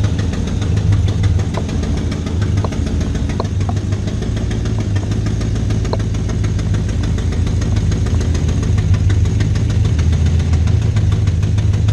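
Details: 2012 GMC Sierra 6.2L V8, heavily abused, not being driven: rough heavy idle with uneven knocking thump; something badly wrong internally, cause unknown; valve springs checked fine except the rear cylinder.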